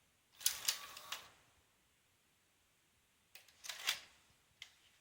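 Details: Panasonic NV-HS950EC VCR, tape won't start or eject: two short bursts of clicking and whirring seconds apart, then stops; loading cycle not completing. Mode switch misalignment had caused F03/F04/F06 codes; fault traced to a broken hard-to-find part.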